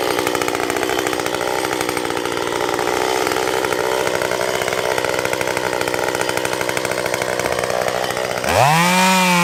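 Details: Stihl MS194T chainsaw after its fuel problem was fixed, cutting wood: it holds a steady, strong note under load, then revs up cleanly and crisply once free, a healthy saw.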